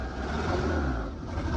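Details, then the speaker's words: Fox Body Mustang, not started in about 7 years, cold: lumpy, uneven stumbling idle, not running on all cylinders, seemingly on two; wet distributor cap suspected, plug wire found disconnected; misfire. "It's been sitting a while, and it's cold. It's not running on all fours."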